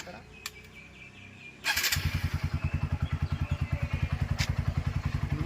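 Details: TVS Apache RTR 200 4V single-cylinder after engine work (cylinder, valve, rocker kits): quiet start, then even steady putter of about three and a half beats a second; healthy idle.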